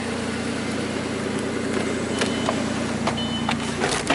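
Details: Raspy, puffing exhaust rasp under the car, louder than normal, at cold idle on a 2001 Audi A4 Quattro 2.8L V6; blown flex pipe leaking upstream of an oxygen sensor, setting fuel trim and O2 response codes.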